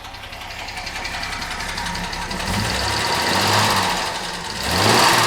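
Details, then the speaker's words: 1975 Jaguar XJ6 six after K-Seal head gasket fixer for coolant leaking into cylinder 2, heard at the rear: even, settled idle with soft exhaust burble, no misses, slightly more tappety from the oil; coolant temperature down, running very nicely. "Let's go listen out the back. That is very, very nice. This thing is running really nicely."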